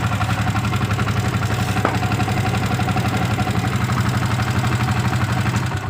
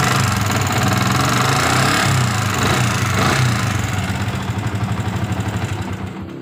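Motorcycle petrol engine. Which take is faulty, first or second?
second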